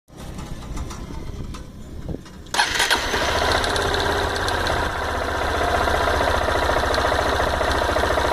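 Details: Honda Bros 160 motorcycle: starts after a couple of cranks, rapid idle with odd irregular clatter occurring randomly seconds after starting; cause unclear, intermittent abnormal engine noise.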